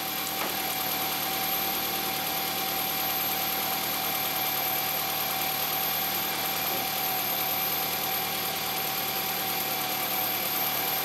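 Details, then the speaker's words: Toyota Highlander after valve cover gasket replacement, outer bolts torqued to 97 in-lb and oil level checked: smooth, even idle with steady whirr and no ticking or knocking; normal idle, no leaks found. "all right guys as you guys can hear the engine is running so we're gonna look around the valve cover to see if we have any leaks"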